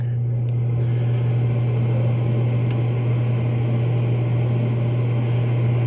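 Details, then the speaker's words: Commercial office furnace after a new universal igniter was fitted and adjusted to reach the flame: burner lights every time and roars evenly, blower hums steadily with no rattles or squeals; normal operation. "now it's lighting right up every time and blur comes on it sounds good everything looks really good"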